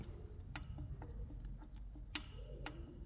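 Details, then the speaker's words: BMW N45 engine stripped with the oil pump out; its chain was never replaced. Sharp metallic clicks come as a connecting rod is rocked by hand. Every rod has play, worst on the 1st and 4th cylinders, showing excessive rod bearing play. "This one has a lot of play and makes some noise. The other ones have play as well, but not that much as the first one or the 4th cylinder."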